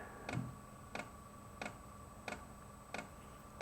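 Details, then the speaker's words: Wippro 8KW all-in-one diesel heater at first start: sharp even ticks about every two-thirds of a second over a faint hum as the fuel pump self-primes fuel into the heater before firing, normal. "so that's what you hear the ticking right now that's the fuel pump sending fuel into the diesel heater and then once it reaches that it should start firing up"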